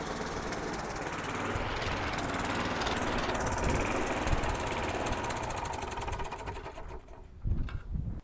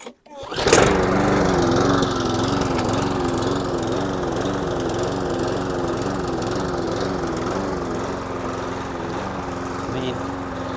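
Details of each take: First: Very old, poor-condition spares-or-repairs lawn mower, last of a job lot, started on choke and smoking: single-cylinder engine chugs loud and steady with an even beat, then eases off; runs well. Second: Briggs & Stratton 450 lawn mower engine with cleaned carburettor and new diaphragm, after starting: revs rising and falling in slow wavering rhythm, sounds ropey; hunting at idle, air leak suspected, not confirmed.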